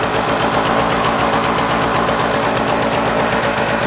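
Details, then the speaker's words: Puch MS 50 moped, 39,375 km, two-stroke, idling as the clutch is engaged: steady fast even idle with no whine from the clutch, sounding healthy. "Det er nice, hva'? Ingen hylen fra koblingen."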